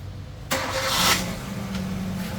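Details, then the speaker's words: Kia Sorento 5-speed manual after clutch replacement, on the lift with wheels off the ground: engine idles evenly while shifting through all gears, one wheel spinning and whirring; no grinding, shifts cleanly. "so it flawlessly runs through the gears no problem there at all"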